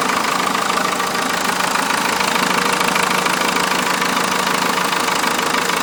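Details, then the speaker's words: Cummins 4BT diesel swapped into a Toyota truck, rubber mounted: steady even diesel clatter at idle with a regular beat, no misses or odd knocks; normal diesel idle. "other than that truck runs good good power whatnot so I'll fire it up for you guys here so you guys can hear it and see it run so you guys will actually believe me that the thing works so it goes"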